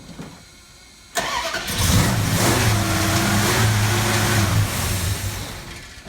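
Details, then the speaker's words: Holley carburetor during a manual-to-electric choke conversion: the engine cranks, catches and races at high speed without dropping to idle. The throttle was stuck because the bent metal fast idle screw plate was binding against the choke plate. "You saw that brief video where I started up and it was racing like crazy. The throttle was stuck because where the fast idle screw plate was, which is basically this plate on there, was metal, was bent a little bit."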